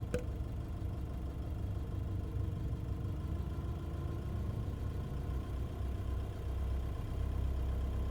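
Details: Nissan Navara engine with a deep, steady idle carrying an uneven rough undertone and faint irregular knocks, noise noticeable between 750 and 2000 rpm; abnormal engine noise, cause not yet clear.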